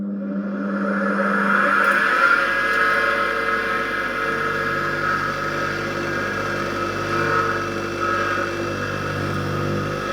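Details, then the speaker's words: Used bench grinder, test run plugged into an appliance tester: motor spins up then settles into a quiet even hum with virtually no vibration, no knock or rattle; long slow wind-down; runs healthy. "well that sounds very quiet okay I just skipped past all the slow wind down it these things take ages to uh slow up it's quiet it virtually doesn't vibrate at all"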